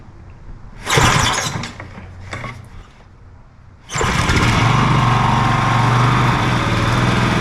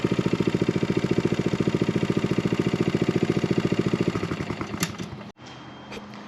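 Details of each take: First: John Deere 14SB walk-behind mower, unknown last run, fresh 10W-30 oil, new fuel line and filter, starting on the second pull with choke on: runs well without smoke, but a dry whirring drone from the worn blade brake clutch bearing (6205), later replaced. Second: John Deere 14SB mower after repair with new fuel line and new blade brake clutch bearing: small single-cylinder engine runs with steady, even putter at constant speed, no knocks or grinding, then shuts off cleanly; normal running.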